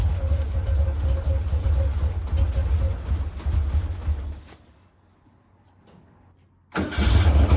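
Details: 1956 VW Bug flat-four with twin replacement 40mm IDF/HPMX carbs, after fixing the fuel-leaking carb: low even idle on all cylinders, briefly cuts out then catches and steadies; best it has run lately, linkage and carbs still need syncing.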